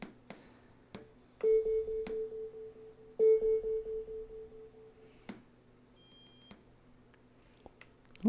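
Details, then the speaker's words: Dollar Tree Bluetooth speaker with IPX4 rating, fully submerged in water while running, then opened up with drivers still full of water: two bursts of rapid, evenly spaced mid-pitch beeps, then a falling squawk as it wakes up. "think it's happy. It did wake up. It wasn't doing that before."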